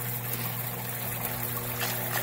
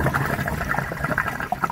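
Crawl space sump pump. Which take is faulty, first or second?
second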